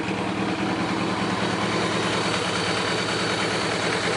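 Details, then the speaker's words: Suzuki GS850 after carb synchronisation and slide needle shimming: smooth, even idle just above 1000 rpm, no lifter tick or misses, crisp throttle response; normal healthy idle before test ride. "I hardly hear any kind of lifter noise or anything out of the engine the throttle response is crisp"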